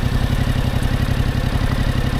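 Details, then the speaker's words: Yamaha R7 motorcycle pulling away slightly uphill, clutch let out further: slow, laboured heavy thumping, bike stuttering and shaking, close to stalling. Engine lugging near stall. "now I'm going to let the clutch out even further and you're going to hear the bike start the stutter a little bit right here starting to shake a little"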